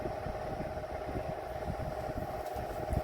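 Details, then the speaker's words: Vornado Silver Swan Alchemy 12-inch oscillating desk fan, from about three years ago and found on the curb, on low speed: steady motor hum with an uneven low throbbing rumble. Described as extremely loud and weak at moving air; blade badly out of balance. "This is just horrible for a modern fan replicating antique. And I do not even think that the General Electrics from like the 1920s are this loud on low speed."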